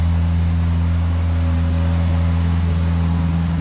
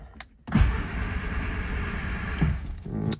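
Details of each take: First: 1970 Morris 1300 (ADO16) barn find on its first successful start, choke held out. Low, even idle with a steady beat, no tapping and no exhaust blowing, running smoothly. A fuel pump or delivery problem is still suspected. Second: 1970 Morris 1300 (ADO16) barn find, first start attempt with throttle open and starting fluid sprayed in: the starter churns steadily for about two seconds but the engine never fires. No spark is suspected, and a later spark test gave mixed results.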